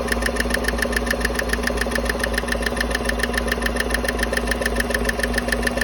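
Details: 2015 Chevy Silverado 5.3 idling with the coil packs and passenger-side rocker cover off; sharp, even ticking at about 3.5 per second. It is traced to a DOD cylinder 4/6 lifter that moves easily, with bad roller rocker needle bearings suspected.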